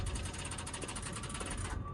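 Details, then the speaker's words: Auction car on key turn, foot on the brake, meant to run the AC: fast harsh rattling chatter under two seconds then cuts out; suspected dead battery or starter, otherwise a fried motor; cause unclear. "Ooh, that doesn't sound good. Whatever that is, doesn't sound good. Y'all hear that? Yeah. So, if that isn't a dead battery or a dead starter, this motor is fried."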